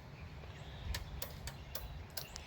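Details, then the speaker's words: 1970s Pioneer CT-6R cassette deck, thrift-found, first power-up: power light and level meters work, but rewind, play and head rotation do nothing; irregular sharp clicks over low hum, head apparently not rotating. Transport clicking, no tape movement. "It's making a clicking noise. Hear it? I don't think the head's even rotating."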